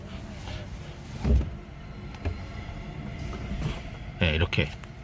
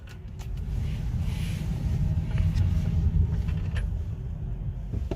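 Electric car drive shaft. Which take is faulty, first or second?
first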